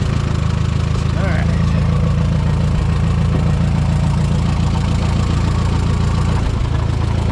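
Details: Minneapolis-Moline M5 tractor idling cold on a 25-degree morning, hydraulic oil thick; steady even low rumble, smooth regular beat, no knocks or misses; oil pressure good, charging; healthy.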